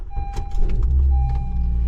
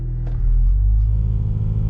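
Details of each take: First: Honda Civic after a bracket was tidied up: engine catches quickly and settles into a low, steady hum with no shaking or knocking in reverse, neutral and drive; vibration fixed, normal idle. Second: Honda Civic idling on a 40-degree morning, radio off: deep throbbing rumble with steering wheel vibration, worst in reverse, also in neutral, easing off in drive; engine mounts suspected worn, as they are known to fail.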